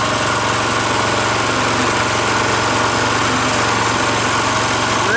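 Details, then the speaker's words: Rototiller single-cylinder engine after carburetor cleaning, after running well about 20 minutes, fuel shut off to run dry: even rapid thump at steady low idle, no stumbling or rattles; idles right down. "Idles right down too, eh?"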